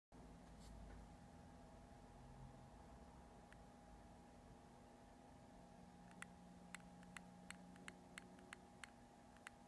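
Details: New Multistar 2216 v2 brushless outrunner motor: faint hum followed by about eight crisp, evenly spaced clicks; a bad bearing is suspected but unconfirmed.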